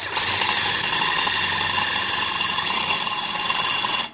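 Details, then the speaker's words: Squeal from a brand-new, rather over-sharp 8mm drill bit opening a 3.5mm pilot hole in steel; bit rubbing rather than cutting because too little pressure is applied, fix by pressing harder or reducing speed (blunt bits do the same). "Now you can hear that squealing noise. That's because I'm not pressing hard enough. So I need to either press harder or reduce the speed, and that should help that squealing noise to go away."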